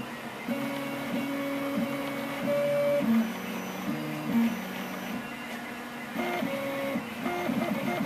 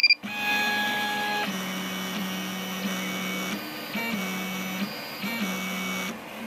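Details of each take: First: Rostock MAX v2 delta 3D printer after Astrosyn dampers fitted on its three axis stepper motors: soft, fairly quiet stepping tones shifting pitch with each move, no harsh buzz or rattle; other printers running in background. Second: Rostock MAX v2 delta 3D printer before Astrosyn dampers are fitted on its three axis stepper motors: loud droning motor tones that jump in pitch as moves start and stop, resonating through the frame. Other printers run in the background.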